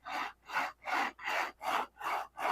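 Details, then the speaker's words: TwoTrees 3018S CNC router build: linear bearing block slid by hand gives seven gritty crunchy rasping strokes, about two and a half per second; bearings rough, needing silicone grease. "Did you guys hear the bearings? Oh my God. That's so horrible. Yeah, crunchy. That's going to need some silicone grease, man."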